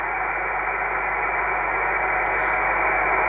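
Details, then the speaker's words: Kenwood TS-450S receiver tuned near 3.689 MHz: a thin, steady whistle sits on top of the receiver hiss without drifting, a spurious birdie generated inside the receiver that gets stronger with AIP switched on. "now let's check whether we have some burds the first should be on 3,60 689 there is one I'm not sure whether you can hear"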